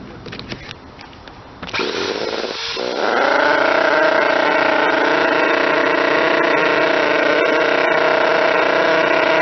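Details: Model twin rotary engine, retested after fixing stator gear mesh noise, bad crank and housing, plates .005 mm out; picks up after start to smooth steady buzz, no knock or gear rattle; normal running.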